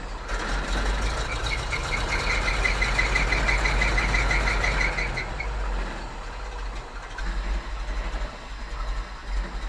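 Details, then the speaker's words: GMC C7000 all-wheel-drive five-speed dump truck, idling about 30 seconds after a warmer-weather start: slightly uneven, lumpy beat with faint hiss; owner suspects a vacuum leak at the AWD vacuum solenoid. "sounds like I get a little bit of a vacuum leak in it I might be part of why it runs a little rough"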